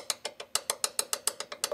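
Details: Ford Mustang SN95/New Edge (1994–2004) door hinge: sharp metallic clicks, about six a second, as a loose hinge pin rattles in its bushing when installed with the wider end the wrong way.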